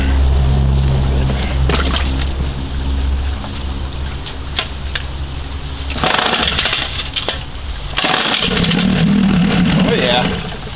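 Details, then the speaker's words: 1959 Kiekhaefer Mercury Mark 6A outboard, unstarted for three years, same old fuel, choked in neutral: catches unevenly, popping and stumbling in irregular bursts, surging then fading; sputtering start that still wants to run. "goddamn sounds like she wants to run even on old gas"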